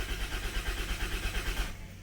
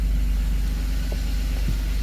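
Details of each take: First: Unidentified Dodge/Plymouth minivan from a 1990–1993 Caravan/Grand Voyager fleet, after sitting: steady rapid starter churning, no catch, for under two seconds; fuel pump heard and oil pressure building, but no spark or tach reading, so the owner suspects a lost crank sensor. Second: Gray Van, 1993 Dodge Grand Caravan LE, cold start a week after the last attempt on a charged battery: a little tick, then oil pressure comes up and it settles into a low, even idle with no misses or knocks.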